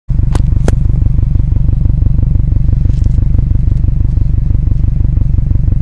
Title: Exhaust Leak Fixed